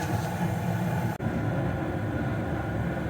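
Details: Bryant/Payne gas furnace with no heat (error code 24, blown fuse, stuck inducer), after fuse and inducer motor replacement: steady low hum from inducer and burner, no squeal, rattle or grinding, one brief dropout; running fine.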